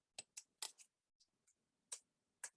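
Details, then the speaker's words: Smiths Enfield single-train clock with newly made brass click spring, shortened by about a millimetre: crisp, separate clicks in short irregular bursts from the ratchet, the spring snapping back briskly and livelier than before. "i don't know whether you can hear or tell but the action is much livelier now by shortening i took about millimeter off it maybe"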